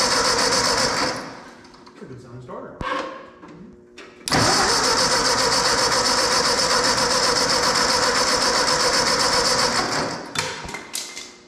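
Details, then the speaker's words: 1952 Ford 8N tractor, sat seven or eight months after its starter died, cranks slowly in bursts with a new starter, then catches and settles into a steady, even run at about four beats a second. "one it's on yeah oh god"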